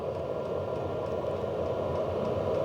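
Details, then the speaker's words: HCalory Toolbox 2 12V diesel heater on 12V DC power station, past glow-plug startup on low setting, draw dropping below 50 watts: steady fan rush with quick regular pump ticks about three a second; running normally. "That pump is ticking a lot faster, and we're only down to below 50 watts now."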